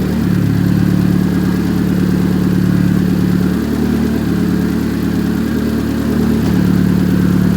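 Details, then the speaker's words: Big-turbo Chevrolet Cobalt SS on E85 after regreasing spark plugs to cure a misfire under boost: loud, steady deep drone with an even pulse, no stumbles, no check engine light; running clean after the misfire fix. "this thing so damn loud"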